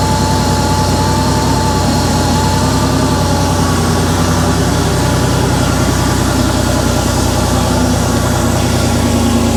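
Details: Porsche 911 3.2 Carrera flat-six on a test stand, first run after a complete rebuild, cold start on a 34 °C day: even, throaty idle, no smoke, running a little rich; normal cold start idle.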